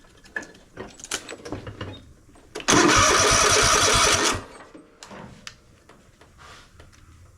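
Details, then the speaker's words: Troy-Bilt Mustang RZT zero-turn mower, with kill wire disconnected: starter spins the engine under two seconds with an even whirr but it never fires; no spark, ignition coil diagnosed bad. "doesn't look like I'm getting anything figured maybe we get lucky and it' fire right up see if we can get that on cam there see if it'll spark not a thing on it not a spark whatsoever"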